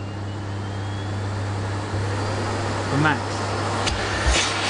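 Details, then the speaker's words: Sebo K3 Premium vacuum cleaner on minimum suction power: steady low motor drone with a soft airy hiss as the air release valve bleeds air; normal suction relief valve operation. "you can hear the air release valve in there as well that's what's working"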